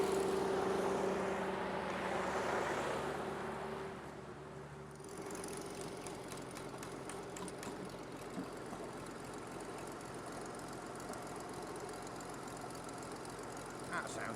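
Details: 1950 Dodge Power Wagon 4x4, first start after the revival with timing set: after a blip, the old engine drops to an even, steady idle with regular firing and no knocks; runs healthy, though an oil leak remains.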